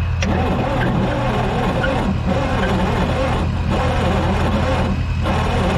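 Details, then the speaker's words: Diesel tow-behind roller compactor that sat about 30 years: long pulsing cranking with faint pops on one or two cylinders, never catching. It is likely not getting enough fuel, and the throttle is possibly stuck at its lowest position. "i can hear it's popping a little bit like it is banging on one or two cylinders it's trying but i don't think it's getting enough fuel"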